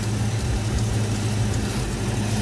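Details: 1986 Ford Mustang LX Foxbody V8 idling after high-torque mini starter install, alternator confirmed at 14 volts: smooth deep burble holding steady idle, no misfire, ticking or whine; normal idle.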